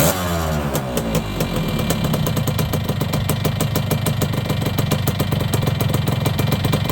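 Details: Yamaha YB100 two-stroke after fitting a new exhaust: a crisp rattle that settles into an even, steady idle after a brief rev, with a clean, regular beat.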